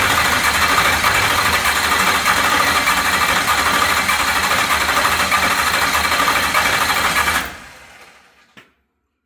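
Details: 403 ci 6.0L stroker LS with Scat rods, first fire after a crank sensor harness extension was made: loud, ragged, stumbling run at about three beats per second, then shutdown. One cylinder is dead, its valve not opening.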